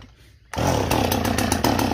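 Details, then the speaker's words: Chainsaw, warm after six cuts ten minutes earlier, flooded; it coughs into life then stutters unevenly, bursts and dips never settling. "God damn it. She's got fuel in her. There she goes. See, she's flooded."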